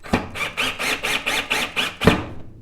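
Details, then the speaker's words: Black and Decker LDX120 cordless drill in forward at maximum torque setting: quick whirring pulses as it drives a screw fully into a scrap 2x4 without clutch clicking, which occurred at lower torque settings. "okay you can see our screws all the way down I don't want to go down too much deeper because we're going to I'm going to run into my countertop here"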